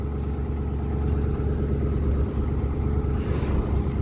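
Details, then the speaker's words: 2010 Crown Victoria drivetrain in a 1981 F150 body after power steering line replacement, idling while the wheel is turned: steady low groan and hum from the pump; air in the system suspected, owner fears pump damage from running low. "Maybe my pumps. Maybe I toasted the pump cuz I drove it while it was low, but hope not. It seems to be doing better now. I think we just had air in the system."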